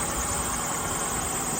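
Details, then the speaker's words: 2001–2002 Acura MDX at idle, hood open: steady high-pitched squeal from the power steering or serpentine belt without fading; worn serpentine belt about to break. Both belts to be replaced. "this lever lift it up and your hood pops up so that's reeling from power steering or Serpentine we're going to change both of them"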